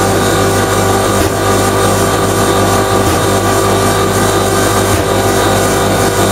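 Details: Common rail diesel injector on calibration test bench, over 500 shots, after turbo failure raised combustion temperatures: loud, steady rapid clatter at an even pace with no stumbles; injector firing consistently.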